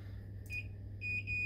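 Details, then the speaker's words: Multimeter continuity test on an on/off switch: clean high-pitched beep when the probes touch or the switch is closed, drops out when separated, then returns steadily; continuity beep, meter working. "If the switch is closed, effectively what's going on inside is that you'll have an electrical path and the meter will beep."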